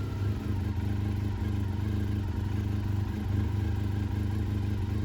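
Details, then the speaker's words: Honda RVF400 motorcycle after exhaust clamp repair, new bottom radiator hose, and clutch cover gasket with fresh oil and coolant: smooth, even low idle, steady beat, no knocks, ticks or misses; leak check looked good, healthy. "I fired it up so I could check for exhaust leaks oil leaks and cooling leaks"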